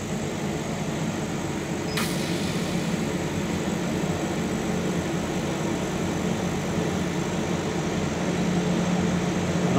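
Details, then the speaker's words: Chinese laser cutter cutting 8 mm acrylic, extraction off: constant hiss of air-assist at full pressure over a low machine hum that builds slightly, steady throughout. "I'm going to turn the air pressure on full so that we can see what effect increasing the air pressure has"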